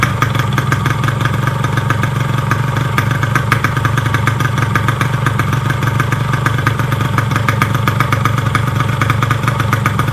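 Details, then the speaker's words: Yamaha RX King two-stroke after a rebuild for a klotok knock, with new connecting rod, piston, crankshaft bearings and clutch: an even, quick idle rattle of about three pulses a second and no knock, so the idle is smooth and healthy. "seberang mereka bener-bener Pengin itu suaranya ya halus banget jos gandos halus halusnya nafkahkan saya tutup knalpot ya nge-rap suaranya seperti itu halus banget"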